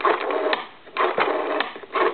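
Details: Telephone with rotary dial cleaned and repaired, final checkout after repair: three even whirring bursts, each under a second, with short gaps; the dial spins back smoothly and evenly every time.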